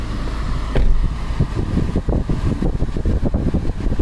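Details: 2007 Honda Accord LX 2.4L after AC repair: steady blower and fan rush with low hum and light clicks underneath; AC running normally, high side about 225, vents reaching 46°F after 15 minutes, fix confirmed.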